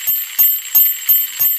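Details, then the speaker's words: American Flyer 3307 locomotive after repair and armature rewind, test run with bell switch on: crisp, even bell dings about three a second as the plunger strikes the bell. Normal bell operation. "Now here you can see it running. I guess you can hear the bell ring. And if you look real carefully, you can see the"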